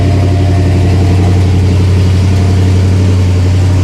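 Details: Pontiac LeMans with suspected intermittent over-fueling (Carter fuel pump), cold start on choke after one pedal pump: steady even low rumble with smooth firing beat, no misses or knocks; idling normally.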